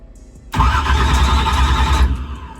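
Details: Drag race car with 16-volt battery, newly fitted Powermaster ultra high-speed starter: short cranking with heavy, slow laboured thumps that never catch; voltage drops to about 12 V, owner suspects a failing battery.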